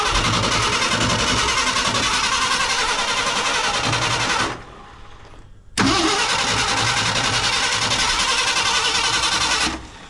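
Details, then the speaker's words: 1968 Ford F100 Ranger, abandoned for years, with its ignition points just adjusted. Fast steady cranking, three or four turns a second, that never fires; they suspect it just needs fuel and a snap tank is suggested. "All right, she just needs fuel. You want to put the snap tank on it? She just needs some gasoline. That's all she needs."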